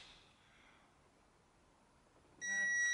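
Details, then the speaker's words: Torque wrench set to 25 Nm tightening bolts on 2010 Insignia 2.0 CDTI during valve-timing repair for P2282; one steady high beep under a second signals set torque reached, wrench also vibrates. "it also vibrates you don't have to be pulled down that hard"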